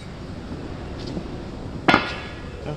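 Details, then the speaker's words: Car that came in knocking at the rear: rear leaf spring removed and rocked by hand gives a sharp metallic knock from worn bushings with play, on both sides; the bushings are to be replaced. "mesmo jeito batendo muito pessoal"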